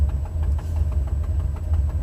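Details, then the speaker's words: Buick 455 Stage-1 V8 in a Regal at idle, recorded from inside with the windows up. A sharp puffing tick about six per second rides over the idle from the 11-year-old gasket, broken at the #7 header flange on the driver side. Exhaust header gasket leak. "again to recap this first time actually tried to cry with the number seven exhaust header - gasket area broken off to give you guys a demo this is with the windows completely up"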